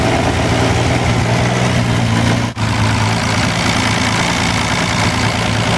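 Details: Wolseley 14/56 14/60 six-cylinder engine on a stand after years of storage, warming slowly due to oversized Ford 351 cooling system: smooth, even low idle with steady beat and no bottom-end knocks or taps; good oil pressure, normal warm idle.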